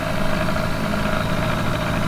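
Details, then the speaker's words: Johnson 4 HP twin-cylinder two-stroke outboard on a river boat, hot, which still needs choke, running slowly at about 2.8 mph: low throbbing drone with an uneven beat that sounds lumpy but wants to give more; lumpy idle, cause unclear. "At the moment, it sounds lumpy, but it also sounds like it wants to give something."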